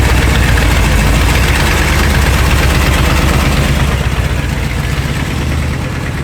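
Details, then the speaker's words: Second-gen Dodge diesel truck at idle with long-tube headers: loud, rough, uneven running with a sharp puffing chuff at each firing. Headers are rotted out and cracked, leaving the whole exhaust one big leak needing a complete overhaul. "o as you guys can hear the exhaust on this truck is well it's less of an exhaust and more of just a big exhaust leak"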